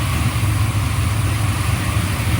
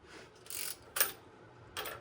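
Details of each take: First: Freshly built 383 stroker for a 1995 LT1, Eagle forged crank, Holley Terminator X, brief first run on engine run stand: smooth even idle, steady low rumble, no ticks or knocks; water pump leaks from missing gasket. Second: 383 build on a 1995 LT1 block with a Callies Magnum crank and 5.85-inch rods, step oil pan test-fitted without a gasket, crank turned slowly by hand: three scraping bumps where the rear counterweight hits the pan, which needs clearancing.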